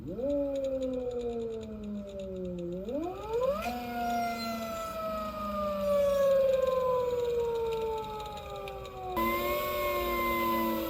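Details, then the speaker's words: ELX600 electric motorcycle (96V 88.2Ah battery) motor sound test after fitting a new controller at stock settings to fix phase current overflow. Clean, smooth whine with no rubbing; motor and controller sound healthy. "now y'all let me know does that sound better to me the new controller sounds cleaner clearer the old one with the 111 sounds like something was still kind of kind of rubbing"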